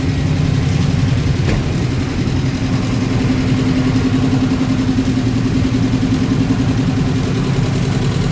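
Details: 1994 Subaru Legacy 2.2L after a new fuel pump, radiator, headers and thermostat; steady, even running with a firm low drone, no misses or knocks, just after its first successful start; normal running.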